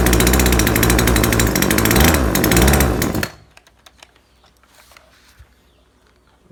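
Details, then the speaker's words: Neighbor's chainsaw that loses power after a while of use and was previously tuned without success: runs rough and flat for three seconds, pitch sagging, then cuts out. Bogging, will not rev; fuel mixture seems too rich. "แต่มันมีอาการเร่งไม่ขึ้นจริงด้วยครับคนจะเร่งไม่ขึ้นมันเหมือนมันเหมือนน้ำมันหนาครับ"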